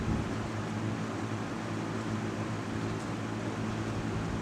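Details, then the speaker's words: 1998 Lasko 3700 Ultra Force 20-inch box fan on low: soft, steady white-noise hum with an even whoosh of air, no rattles or ticking; normal running on low speed. "and here is low and i have slept with this one many different times and it does uh that white noisy sound is actually very nice it's quite nice"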